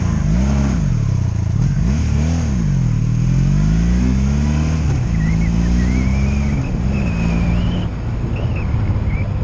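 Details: 2002 Honda Magna VF750C V4 during a rebuild, first warm test ride running non-stop with no ignition cuts or bucking; transmission jerky. Revs up and down cleanly through the gears with steady pull under road noise. Normal running.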